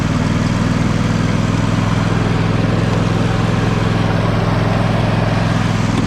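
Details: John Deere L120 lawn tractor, small engine after sitting, mouse nest cleared from air filter and carb cleaned, idling with a steady low drone; starts and runs, though blades won't engage; owner suspects mouse chewed a wire.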